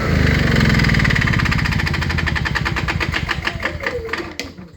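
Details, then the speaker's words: Fuel-injected Honda EU7000is generator with many hours, after start-then-stall fix: engine thuds slow and fade over a few seconds, then one sharp loud click right as it stops; cause unclear. "loud click when it stops so it's weird anyways I'm going to call this one fixed for today just going to put it back together and that's it"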